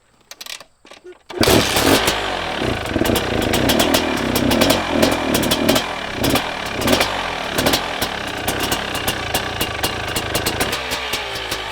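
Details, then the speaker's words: 2019 KTM 250SX two-stroke with freshly tuned Lectron Billetron 38 Pro carb, owner suspects running lean and detonating: starts and settles into steady idle with crisp even popping, no stumbling; normal idle. "well it idles really well which I'll show you here in a minute"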